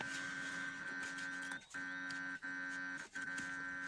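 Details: ZMZ 405 engine that stalls, pops and surges, ignition on, engine off: steady high-pitched electrical buzz with low hum, briefly cutting out; owner suspects wiring fault, new plugs and leads changed nothing, not confirmed.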